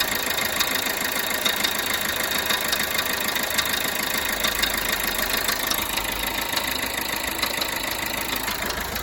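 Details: Peugeot Bipper Tepee 1.3 HDi (JTD) diesel idling with a sharp, fairly even tick-knock about three per second over the clatter; engine knocking at idle, cause unclear.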